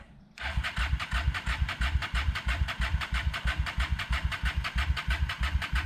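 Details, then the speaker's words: 1998 Honda Shadow 750 ACE, sat outdoors over 5 years, cranking after cleaned carburetor refitted: rhythmic starter cranking, about three pulses a second, never catches; owner planned fresh gas and battery, considering stator next if it still won't start. "kept working on it after I got the carburetor in it still wouldn't crank properly"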